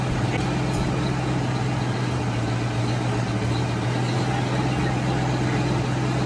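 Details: 1990 Ford Mustang V8 Fox Body convertible just started after sitting eight years: deep steady idle with a raw, overly loud exhaust note; owner says the exhaust needs attention.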